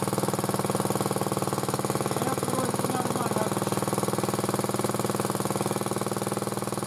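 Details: Motor-cultivator that knocked and stalled in autumn after hard use, started poorly; idling after cleaning with sandpaper; quick, fairly even light tapping on each firing beat, about three a second; owner suspects a valve tapping, before valve check.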